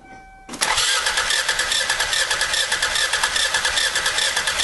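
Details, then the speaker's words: Used car compression check with a spark plug loosened to simulate bad compression: starter cranks with an uneven, lopsided beat of two to three pulses a second as one cylinder leaks; low compression, a walk-away sound. "I'm going to go ahead and loosen a spark plug to create a compression lead and this is going to simulate a car that has bad compression"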